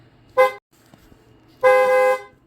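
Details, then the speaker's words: 1993 Plymouth Grand Voyager SE horn gives clear, strong blasts when its relay is actuated manually, so the horn works. The relay isn't being triggered, suggesting a fault in the horn buttons or clock spring. "so yeah as you can see when I manually actuate this relay the horn Works proving everything else works"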